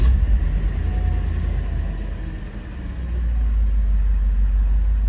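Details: 1988 Mercedes-Benz 560 SL, 51,705 miles, not run in 3.5 weeks, cold start at ambient about 94°F: deep even rumble dips briefly then settles to steady idle, no ticks or misses; high oil pressure, healthy cold start.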